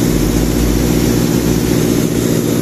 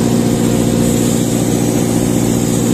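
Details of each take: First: Sullair 260 diesel compressor: deep steady drone at even speed, no surging or hunting; accelerates and decelerates without problem; normal running. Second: Sullair 260 diesel compressor under load, poorly maintained, burning smell: heavy steady drone that never climbs in speed, then air burst; struggles to accelerate, not reaching pressure; speed control problem, maintenance lack suspected; bogging.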